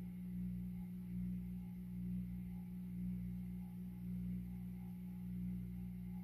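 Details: 52-inch Supreme Fan Mark III ("Emperor") ceiling fan from an abandoned house, strong performer on high: steady low droning hum with faint slow swell, no ticking or scraping, motor hums loudly on low speed; speed switch is faulty, jumping straight to high.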